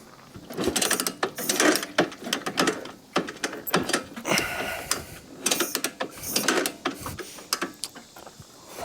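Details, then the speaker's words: 1987 Honda TRX250 Fourtrax ATV being revived, running without air filter during mixture screw adjustment; loud, uneven metallic clatter from the top end, owner unsure if normal and plans to pull the valve cover; metallic top-end rattle. "why that sounds so metallic like a lot of metallicky stuff happening over here foreign doesn't sound the healthiest if I had to be honest hmm"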